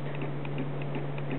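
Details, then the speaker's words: Omnipod insulin pod during site change after filling with insulin: soft evenly spaced ticks about six a second over faint hum as PDM radio-signals pod to prime; normal priming clicking. "and then what it does is it it tries to send a radio signal to it to tell it to start priming and that's what it did"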